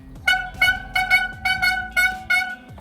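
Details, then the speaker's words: Mountain bike hydraulic disc brake: loud trumpet-like squeal in repeated bursts each time the brake bites while riding; suspected dirty disc or pads, possibly contaminated by oily cleaning spray; disc brake squeal. "Hi guys I'm Lory Bart, today I'll show you how to get rid of that annoying noise on hydraulic disc brakes then I'm on the bike, hear noise looks like the stadium trumpets ..."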